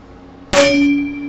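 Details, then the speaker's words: Harley FXD wheel bearing installed without special tools, tapped in with hammer and socket: final strike rings like a church bell with lingering tone, hammer bouncing back, showing bearing fully seated in hub. "some rings like a church bell so you know that bearing see it all the way down in there"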